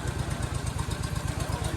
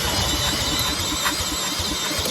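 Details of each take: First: Gravely Rapids single-cylinder overhead-valve engine; steady even thump about twelve a second with no misses or knocks. Normal running. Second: Gravely Rapid tractor cranked with a drill. Steady cranking with a regular chuff never catches: no spark because the brand-new plug's electrode was bent and the gap closed.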